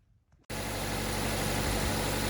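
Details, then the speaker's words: 2016 Chevy Trax LS AWD Ecotec engine, after tune-up with coil and plug refitted fixing bank 2 misfire codes: brief crank then even, steady idle with no stumble; service engine light off. "hey we fixed our problem cars when it's moved like butter"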